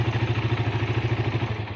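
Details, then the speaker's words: Suzuki Satria FU started on the starter button; dead-starter fault traced to a broken yellow-green starter ground wire: even single-cylinder thump about eleven beats a second, steady and regular until it dies away; healthy idle. "Nah, ini motor sudah bunyi sekarang."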